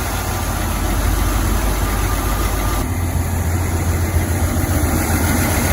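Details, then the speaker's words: 1981 Chevy C20 square body V8 idling: steady, fairly even low rumble with no knocks, idling pretty good, but it stalls out every time the throttle is applied; cause not yet investigated. "okay so we got the green machine running idling right now it's actually idling pretty good but it stalls out every time i hit the gas so we'll be looking into that tomorrow"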